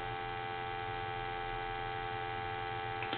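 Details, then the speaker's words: Crosley wood wall telephone with speakerphone, after repair: it used to short the line when plugged in and only clicked instead of producing a dial tone; it now gives a clean, steady, continuous dial tone with no crackle or dropouts. "so basically what we did was we went into the telephone and the telephone has been repaired I guess you can hear that dial"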